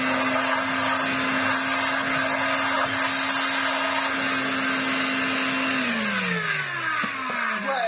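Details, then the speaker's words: Electrolux Z504 vacuum after restoration (cleaned, glued, motor mostly sorted), running without belt or brush roll fitted; motor holds a steady even whine with strong airflow, winds down smoothly when switched off; sounds good, expected to quieten with belt and brush roll. "But it sounds good, especially considering the condition that it was in. I'm hoping to probably put a belt on and the brush roll. It will quieten down a bit."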